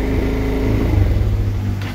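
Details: Victory MRX 150 motorcycle that doesn't respond to throttle and shuts off suddenly, previously blamed on carburetion: runs briefly with an uneven beat, then sags and dies; stalling traced to damaged wiring harness.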